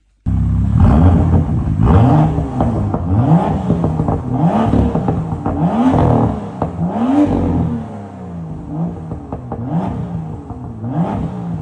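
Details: BMW M2 F87 after repairing the rattling M Performance rear silencer (baffle plates rewelded): engine blipped repeatedly, clean deep exhaust note rising and falling, the cold-start rattle gone.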